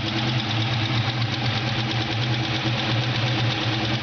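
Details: Ford Mustang GT 4.6L V8 at idle: deep steady burble with a faint tapping on top; ticking at idle, cause not found.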